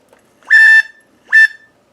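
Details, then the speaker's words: Shark WV201 handheld vacuum gives short high-pitched chirps/squeals and shuts off after a few seconds; motor jammed by baking soda vacuumed in, fixed by disassembling and cleaning out the motor. "how to fix your shark wv201 wvac when it turns itself off after a few seconds and makes a squealing noise like"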